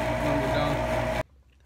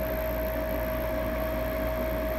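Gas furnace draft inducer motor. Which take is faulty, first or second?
first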